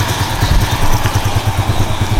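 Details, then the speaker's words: Yamaha Jupiter Z1 with a recently rebuilt engine that had run rough when hot, now idling well warmed with steady, even low thumps and no "cek cek" tapping or clatter; it sounds smooth and healthy. "ini mesinnya halus halus sekali enggak ada yang suara kayak kemarin cek cek cek cek itu enggak ada ini padahal mesin udah lumayan panas"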